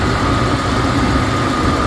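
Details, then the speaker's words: Mitsubishi 3000GT VR4 idling after a 3SX fuel pump hotwire install: steady rumble with a thin constant whistle from a vacuum leak; owner unsure whether the intake-to-valve-cover hose or a small vacuum line is leaking. "Somewhere in this area I have a fucking leak, air leak, vacuum leak. There we go. I have a vacuum leak."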